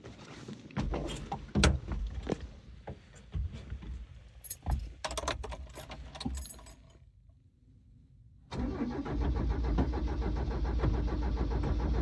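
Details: 6-wheeled Toyota after fuel tank replacement, new fuel filter and spark plugs, Seafoam added to tank: cranks, catches and settles into a lumpy, slightly uneven idle; odd idle persists, cause unknown, a fuel hose leak later found.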